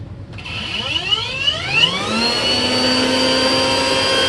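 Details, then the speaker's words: Rainbow Mate vacuum accessory motor, run with brush removed and no load after teardown: smooth whine climbing in pitch then holding even; motor spins freely and is now quiet, slight electrical smell noted. "so let's see if it sounds better [Music] yep that is quiet as all get-out"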